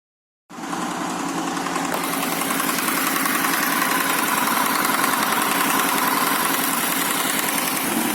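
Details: Honda VFR800 VTEC V4 motorcycle after start-up at idle: dry metallic clatter from cylinder head top end; stretched timing chain, exhaust cam sits high and intake cam low at timing marks on rear cylinder; timing chain replaced, clutch burnt.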